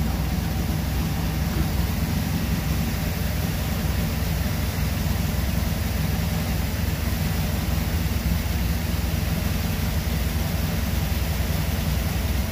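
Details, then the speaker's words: 1977 Chevy Camaro small-block Chevy V8 with newly installed Edelbrock Pro-Flo 4 EFI, timing locked at 12 degrees, idle set to about 750 rpm: deep, steady even rumble, no misses or knocks; normal idle, looking and sounding good. "[Music] looking good sounding good"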